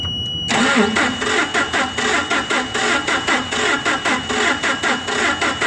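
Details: Nissan K21 engine, ignition coil already replaced, cranking with the main fuel injector disconnected for an amp-clamp relative compression test: uneven starter rhythm, about eighty beats a minute, with one weak stroke each cycle, so one of four cylinders is low on compression.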